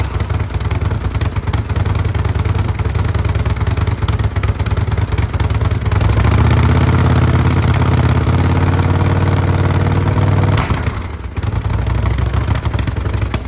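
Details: 2005 Kawasaki VN800C V-twin, about 130,000 km, just started after storage since about 2015: lumpy, even idle with a brief rev in the middle that settles back; running cleanly.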